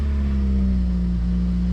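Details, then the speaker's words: Honda EM2 with K-series swap, first start after shift cables and exhaust were fitted, run on a jump pack and battery: deep, even exhaust drone at idle with no misses or rattles; a suspected exhaust or intake leak turned out quiet, and it runs normally. "yep sounds like a vibrant it's got an exhaust leak up here it sounds like an intake yeah never mind it's pretty quiet"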